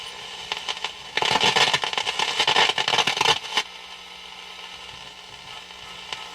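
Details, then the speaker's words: Air-O-Ear radio after repair, tuned to the low-frequency band on its regular antenna: a hiss with crackling static that swells for a couple of seconds then fades. No station is received; this band needs a long-wire antenna. "Picking up static. Now the low frequency, which is very hard to read on this because the dial is up too high. That's not me doing that, it's some static in the area."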